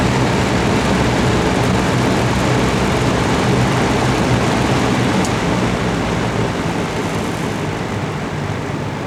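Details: Vintage all-metal Kmart box fan, dirty and in rough shape, running on high: even rushing airflow over a low, soft motor hum with no ticking or scraping; running smoothly.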